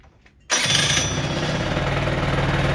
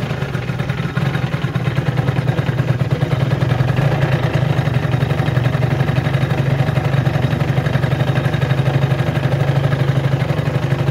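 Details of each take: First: Warm Peugeot Jetforce two-stroke scooter with the carburettor idle screw turned fully in: after a brief quiet it buzzes at a fast, steady, excessively high idle. Backing the screw out lowers the revs. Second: Peugeot Jetforce two-stroke scooter holding a steady, even idle with a low buzzing pulse during the carburetor base adjustment.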